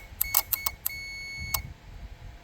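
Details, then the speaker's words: RV rooftop air conditioner control board, 12 V signals, high/low fan relays commanded on during testing: sharp, crisp clicks in short bursts between electronic chirps as the high fan relay pulls in; relay clicking normally. "Now listen, these relays right here are your high and low fan. Ready? I'm going to tell my high to come on. You hear it clicking?"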